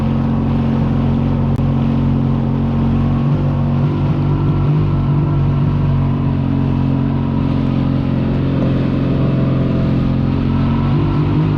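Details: Yamaha XLT1200 jet ski on its first run on the water after an engine rebuild, being run in; steady, even two-stroke drone holding constant speed under load, no misses or knocks; the engine runs healthy.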